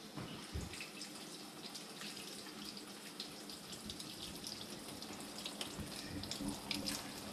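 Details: Fairly new GE dishwasher that has power but won't start: with the door switch held, a steady hiss of water rushing in with light splashing; two door switches tried, owner suspects a small latch plate adjustment: fills only with door switch held.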